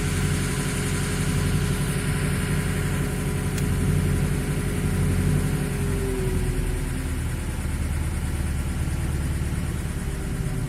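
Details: VAZ 2106 that is burning oil: a steady idle with low rough pulsing and a faint repeated knock in the engine; cause not pinned down.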